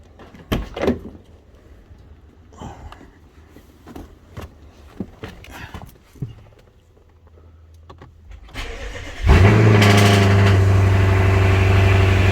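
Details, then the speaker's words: BMW 650i N63tu twin-turbo V8 (Pure Turbos stage 2, E40 tune) starting just after new high-output ignition coils were installed to cure misfires under higher boost; quiet handling sounds, then it catches at once and settles into a steady, even idle with no stumble. "So, go ahead and start it up now."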